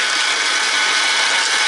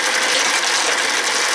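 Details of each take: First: American Changer first-generation green stripe coin hopper, after disassembly, gear change and regreasing, run empty: steady high mechanical whir with light gear chatter, then stops; normal noise level. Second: American Changer first-generation green stripe coin hopper, recently rebuilt elsewhere, in for excessive noise and vibration, dispensing; continuous harsh, gritty ratcheting grind; gearbox running rough.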